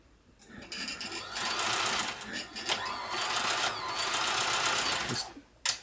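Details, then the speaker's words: Janome Combi sewing machine/serger with drag removed from a cover rubbing the hand wheel: runs in uneven bursts, speed sagging and surging; better but drive still weak, motor belt still too loose. "yeah it's definitely better but i still think that belt's too loose"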